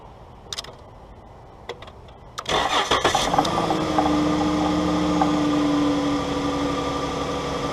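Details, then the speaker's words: 2012 Dodge Grand Caravan 3.6L after fuel pump relay bypass fitted to intermittently failing TIPM: a few clicks, brief crank, engine catches and settles into an even, steady idle with no misses; normal start and idle, everything sounds good. "That looks good. Everything sounds good."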